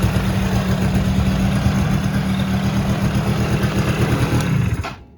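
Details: 2001-2006 Polaris Sportsman 90 single after a top-end rebuild runs at a steady putter for a few seconds, then shuts off cleanly with no knocks or misfires; clicking heard earlier while cranking was not from the engine; normal idle.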